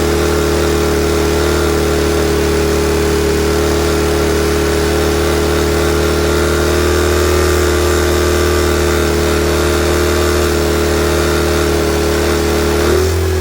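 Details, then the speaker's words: Honda EM400 generator with covers off for governor adjustment: high, flat, steady drone with no hunting, governor pulling the throttle fully open in this position. "all right the governor wants to be all the way on pulling the throttle all the way open in this position anyway we'll get to that"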